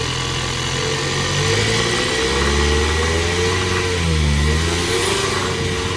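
Steady idle with a fast uneven ticking riding over a low hum and a faint wavering whine; something's off, cause unclear.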